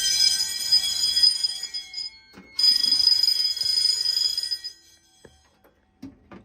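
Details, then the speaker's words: Home-built Fire-Lite MS-9200UD fire alarm system: harsh bells ring in two long bursts with a short gap, then silence, after a System Sensor i3 smoke detector near the water heater slowly tripped the panel. Fire alarm sounding. "Okay, maybe System Sensor doesn't make the best smoke detectors because my goodness, they take a while."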